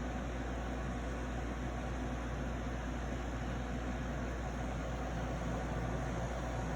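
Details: Arctic King 8,000 BTU (12,000 BTU ASHRAE) air conditioner running: steady low hum with coarse buzz and fan rush from the compressor, louder than it should be; owner unsure if defective or mishandled.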